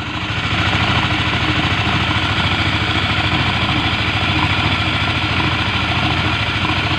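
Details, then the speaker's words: Honda CBR150 LED after repair for a noisy engine: steady, even idle with a smooth regular beat and no ticking or rattle; oil now sprays properly to the cylinder head, and the engine is quiet and healthy. "Eh sudah bagus kembali dan suaranya pun halus tidak Berisik dan olinya yang menuju ke Blockhead bagus nyembur tid"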